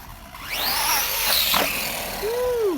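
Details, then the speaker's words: Kraton 4S RC car after repair with the center shaft, center brace and pin refitted, outdoor test: clean motor whine rising and falling smoothly with throttle, no clicking or gear chatter; drivetrain runs healthy. "I think she works just [Music] fine I'm going to call this one a success"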